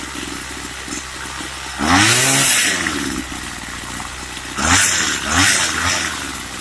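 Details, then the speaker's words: Craftsman two-stroke weed trimmer, reluctant to start and cutting off: uneven buzz with ragged blips rising and falling in pitch, won't hold steady speed; rough running, idle adjustment suspected, not confirmed. "Now it's acting like it don't want to start. Okay, it is cutting off. So it's probably, I need to adjust that idle."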